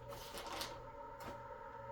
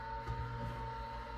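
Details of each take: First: MFM hard drive that had over 200 bad clusters after a low-level format, with its head cables disconnected, powered from an external adapter before a degaussing experiment. A steady whir climbs to speed with light stepper ticking. This is a normal spin-up. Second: Old MFM hard drive, degaussing tool brought near the platters: steady hum with a thin, slightly wavering whine as the spindle motor labours against magnetic drag on the discs.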